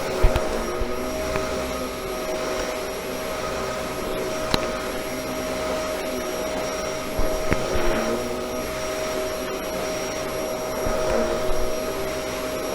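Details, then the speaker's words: Bissell model 1306 Multi-Cyclonic upright vacuum after cleaning and maintenance: a steady, even motor whir with a constant mid-pitched tone and no surging or rattling. The motor runs better than before; normal running. "vader actually sounds like the motor is running better too much better"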